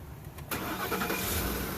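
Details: 2010 Ford F-150 5.4L with random no-crank/no-start complaint: while the starter control ground is supplied manually, a brief crank, then it catches cleanly and settles into a steady idle.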